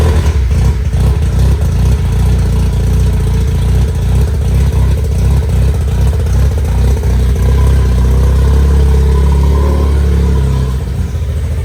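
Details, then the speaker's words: 1993 Mazda FD RX-7 rotary, abandoned for years after a full build, now running after the fix: a deep, choppy rotary burble swells as the throttle is blipped, then settles into a steady run. Normal running, shortly before it runs out of fuel. "They're running, dog. Look at that. What do you think, Lou? Sounds like a rotary."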